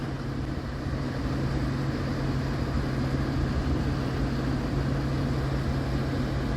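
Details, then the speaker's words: Geothermal heat pump after blower motor replacement, water loop running, fan ramping to high speed: steady low hum and constant even drone, no rubbing or rattles; blower running normally. "up There She Goes going the highspeed ramp on oh she sounds good sounds good"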